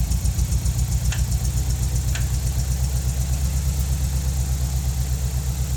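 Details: Nissan 200SX engine at low idle with a steady thudding pulse about four times a second and an odd sharp tick; cause unknown. Abnormal noise at idle.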